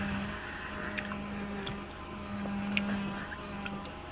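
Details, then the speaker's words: 2007 Chevy Impala LT at idle: steady low whine from the power steering pump, pitch drops when the wheel is turned; owner suspects low fluid and plans to refill. "so do you hear that whine I don't know how well it's audible but I know it's power steering cuz every time I turn my [Music] wheel it changes the pitch pretty much goes to a lower"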